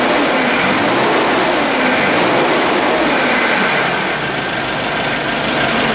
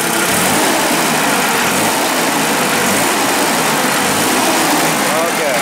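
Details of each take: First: Nissan forklift petrol engine, no-start already fixed by replacing the cam sensor, runs rough when revved: steady but uneven with faint irregular stumble; snap test showed no spark reaction on cylinder four; misfire from faulty ignition coil. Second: Nissan forklift engine after swapping the defective ignition coil for a known-good used coil from a working truck, snap test repeated: loud, even engine noise holds steady without stumbles, misses or popping; smooth running after repair.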